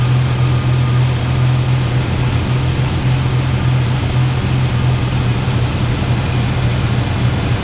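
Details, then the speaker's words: 1998 Ford Ranger with a swapped 3.0 engine, warm idle around 880 rpm after the high-idle fix: a steady low drone with a slight uneven lope underneath. Mild roughness remains, judged liveable. "still seems like the idle's just a little bit rough but it's it's uh liveable you know this just going to be a farm truck anyway"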